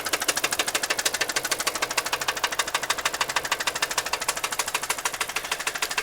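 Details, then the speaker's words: Car with 235,252 miles and an oil leak: a sharp, even metallic knock at about three per second; replacing the knock sensor didn't help, and a shop diagnosed the knock as internal. "I changed out a couple things also replace the lock sensor which didn't have anything to do with this knocking and the noise still hasn't gone away so I took it in got it checked out and it's internal"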